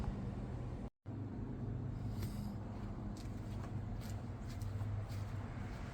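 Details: Lexus IS300 with swapped 2JZ-GTE six, Fueltech FT550 base tune, first start-up: steady low engine rumble at an even idle, no knocks or misses; smooth six-cylinder running cleanly.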